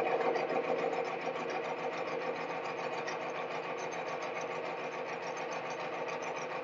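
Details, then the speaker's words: Bearing friction test rig, Timken bearing under torque-wrench weight with Castrol Edge plus Lucas synthetic added: harsh steady high squeal with scraping edge over the motor drone as lubrication breaks down, smoke appearing, locking up near 35 lb; bearing squeal under heavy load. "together start squealing at the same time about the same same amperage but this time you'll be able to see a little bit of smoke after we've added the Lo to"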